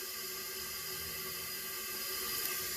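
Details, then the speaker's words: 2015 Jeep Patriot 2.4 inline-four, P0304 misfire, engine off, leak-down test on cylinder 4: steady, even hiss of air leaking into the crankcase. Shows 65% leakage and 60 psi compression against 170 spec; worn piston rings. "So definitely rings issue. So yeah, you can hear it leaking in the crankcase. Tells us rings."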